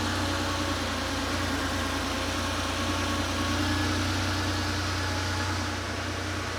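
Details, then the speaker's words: Porsche 911 Carrera 3.2L on engine test stand, long-sitting engine, after injectors reinstalled: starts and settles to steady even idle, smooth low hum, no knocks or misses; fuel pressure about 2.1, oil about 120 degrees warming. "okay here we go that's vibrating yeah it's running great awesome"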